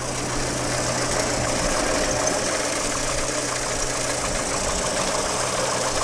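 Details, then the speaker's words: 1963½ Ford Falcon Futura hardtop, not run in 18 years, after oil change and Seafoam in fuel: steady idle with loose irregular pulse, occasional stumble under hiss; rough idle, notable blow-by, cause not confirmed. "mean we still got quite a bit of blow by maybe that'll come out I don't know"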